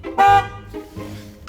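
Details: BMW E36 Compact, an MOT-failure project car with many faults, including suspected odd horn wiring in the bulkhead: one short clear horn toot with steady pitch and nothing odd in it; the horn itself sounds fine.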